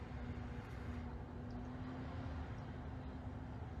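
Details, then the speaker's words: New 2021 Tesla Model Y Performance, parked with fans and AC initially off: steady low transformer-like hum inside the cabin, growing louder with the AC on; source unclear. Humming noise. "it's this humming noise that sounds like electrical transformer in the car now when i turn on the air conditioner it gets worse"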